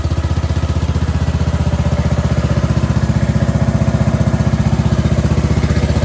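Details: Cub Cadet 2146 lawn tractor, 14 hp Linamar single-cylinder, sat 3 years, after choke repair; steady even thump about four beats a second, no misses or knocks. Normal idle, though fuel leaks from the rotten carburetor bowl.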